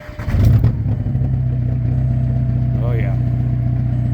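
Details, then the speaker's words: Turbocharged car or truck, exhaust started sounding funny on highway trip: loud, deep droning rumble at idle with turbo more audible, far louder than stock; broken, leaking exhaust pipe, to be fixed by cutting out bad section and splicing new pipe. "Oh yeah, that's loud and obnoxious. You hear the turbo, but a lot better, but you can also hear all the other droning noise,"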